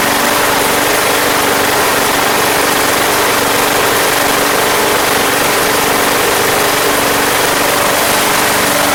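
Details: Craftsman Platinum lawn mower, Briggs 190cc single-cylinder, running after a no-start fix with a replacement carburetor: steady, even buzz with a clear tone, no surging or misses; gas was seen from the crankcase vent, yet it runs healthy.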